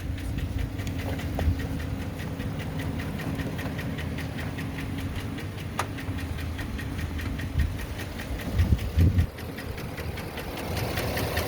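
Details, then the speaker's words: Work truck diesel after AMSOIL treatment and 200 miles: the heavy knock is nearly gone, with slight timing-chain noise remaining, but the idle has uneven knocking pulses, a shaky, lumpy rhythm and rattle, a rough idle. "so that terrible clock is gone now and we want you to hear this this rough idol listen to how rough it is"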